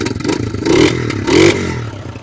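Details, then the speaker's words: 1987 Kawasaki Mojave 250 single-cylinder ATV after repairs, including a faulty ignition switch: engine blips twice with crisp revs and drops back cleanly, no knock or rattle. Normal running. "but anyways guys it doesn't sound bad you know"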